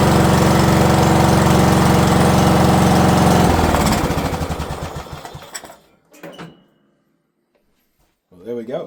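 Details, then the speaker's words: White Outdoors riding mower back running after sitting about 2 years with a prior carburetor issue, a little smoky: small single-cylinder engine runs steady and even, then winds down and stops; normal running. "Running good. Mowing decent."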